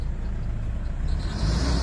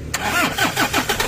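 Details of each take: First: Toyota Innova D4D diesel that cranked but wouldn't start after a dog chewed the wiring; after the injector driver module was replaced, it starts with a steady, even diesel rumble that picks up slightly. Now running fine. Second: Toyota Innova D4D diesel with dog-chewed injector driver wiring, before the driver was replaced: cranks, catches with rough uneven chugs, won't idle and dies; runs only while fuel is hand-pumped at filter primer. Faulty injector driver cutting fuel.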